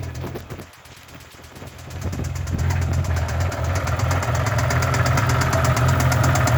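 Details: BMW M5 E60 V10 at idle: a quick, fairly even knock around four per second rides over the low engine drone; source of the knock unclear.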